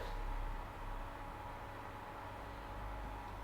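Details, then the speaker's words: Weeylite Ninja 200 bi-color COB light set to 0% with no light output, heard from a distance: a faint constant airy hiss and hum because the cooling fan still runs automatically. The fan can be turned off in the menus. Considered a deal breaker. "see what i mean and that is a deal breaker for me right there the fact that you have a fan that turns on automatically even when the light is not actually sending out any type of light it is a problem"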